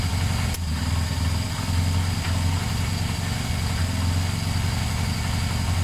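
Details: Motorcycle twin started after a loose second battery earth wire was refitted. It idles steady and even with no misses and revs fine, though the owner hears a possible knock and suspects it needs fresh oil. Normal idle.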